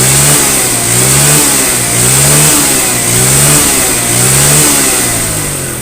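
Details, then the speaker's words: Yamaha Mio scooter after carburetor repair and setting for hesitation on first throttle, heavy fuel use and low power: revs climb and drop cleanly through repeated blips, no stumble or popping; normal revving. "Jadi digas sedikit aja itu udah ngisi gitu kan. Jadi RPM-nya langsung naik. Jadi gak ada berbet sama sekali ya."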